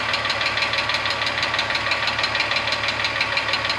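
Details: VW Passat Variant 35i VR6 after long standstill: sharp regular ticking about three per second over an uneven rough idle; valvetrain tick, hydraulic lifters suspected, additive considered, cause unconfirmed.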